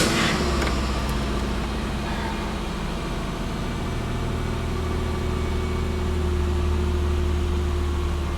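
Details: 2001 Chevy Impala with P0300 random misfire code, check engine light on, after multiple previous parts swaps by others: uneven, stumbling low idle thrum pulsing about four times a second from misfire.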